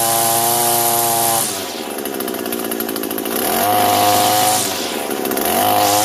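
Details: Echo two-stroke trimmer after the rattle at the shaft bottom was fixed with a spare gear head filled with lube: revs up and settles back cleanly, smooth even buzz with no rattle; running normally.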